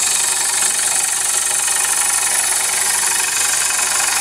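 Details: Poplar bowl being hollowed on a lathe with a gouge: hissing cut with rapid, fairly regular knocking about four per second as the bevel bounces on the wood instead of cutting enough edge.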